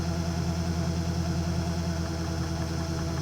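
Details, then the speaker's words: Webasto ThermoPro 90 diesel heater at startup, burner somewhat dirty, glow plug drawing about 20 A; steady hum with faint regular dosing pump tick about two per second, fan starting, then fires up normally. "okay you may be able to hear the fuel pump going tick tick tick tick fan starting"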